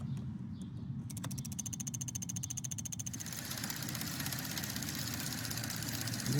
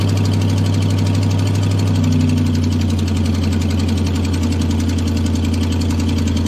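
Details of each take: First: Chevy 5.3L truck engine at idle: quick light even ticking over steady idle from injectors, relays and solenoids; normal, not lifter tick. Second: Chevy 5.3L LS V8 truck: rapid, puffy ticking at idle from an exhaust manifold leak next to the head, common with broken manifold bolts, often mistaken for lifter tick; it gets quieter as RPM rises.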